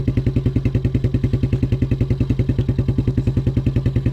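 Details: 1987 Suzuki Quadrunner LT230E ATV single-cylinder, cold weather after throttle and air filter replacement, started with hand-made choke as choke cable frozen; crisp, very even idle of several beats a second, no misses or surging; runs healthy.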